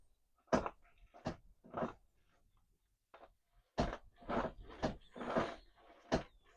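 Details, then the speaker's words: Renault Zoe electric car with no brake vacuum assist and no power steering; separate dull clunks in irregular bursts with quiet gaps, apparently from the front: clunk from front suspension, loose part suspected, not confirmed. "Oh, you can hear that. You can hear that. I think it's the front. Oh dear."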